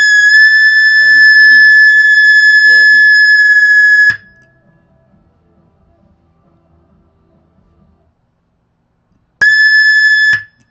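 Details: Marshall DSL 100-watt amp on high power, noise gate off, gain set far too high; loud steady high-pitched feedback squeal holds four seconds, cuts out, returns briefly.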